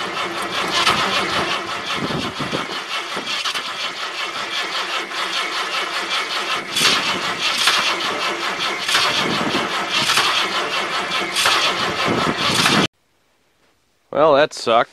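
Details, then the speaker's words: 1978 Ford LTD at about -10°F after more charging and starting fluid (more liquid than vapor in the cold): long steady fast cranking, never catches or fires; cranks but won't start. "so fortunately you guys didn't really miss anything because the car didn't start"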